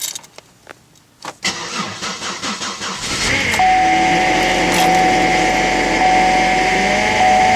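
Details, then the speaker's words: Cold start at about zero degrees in windy winter weather: cranking, then catch, with a steady thin high whine over the fast cold idle; owner is pretty sure it is the power steering pump, first time heard. "here we go pretty sure that was the power steering pump making that wine noise its first time I've ever had though"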